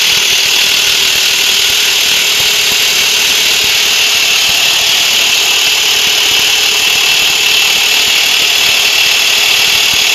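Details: Nissan petrol engine idling with a constant, dense, high-pitched metallic rattle from a loose timing chain, usually caused by a broken tensioner or broken guide.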